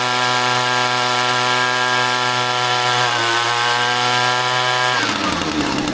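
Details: Echo string trimmer two-stroke powerhead after replacing an incorrect carburetor gasket: steady even buzz at high speed, then a rougher note near the end; fires and runs cleanly, normal running.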